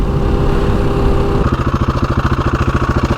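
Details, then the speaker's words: Husqvarna 701 single at idle, oil just over half on the sight glass: a lumpy idle with a dry metallic clatter on every beat, likely from the timing chain and worn tensioner. "Right. that clattering. I think it's coming from the timing chain right in there."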